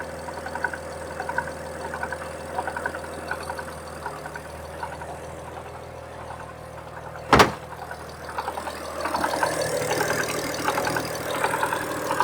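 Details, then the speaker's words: 1967 Ford Anglia 105E with Mitsubishi 6A13TT engine, car on axle stands at idle: even idle with a light, irregular rattle heard via screwdriver mainly at the passenger-side front timing belt cover; owner now doubts earlier suspected knock; engine rattle at idle. "i placed it at various points around the engine and the only place i could really hear a noise and it was that sort of rattata"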